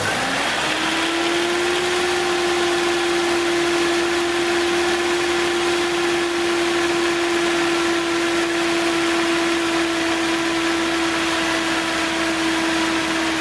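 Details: 1970s Datsun engine starting and idling on its 6.5-year-old 12V battery after rejuvenation from deep discharge (12.76 V); catches and settles into a steady even hum, no knocks or misses.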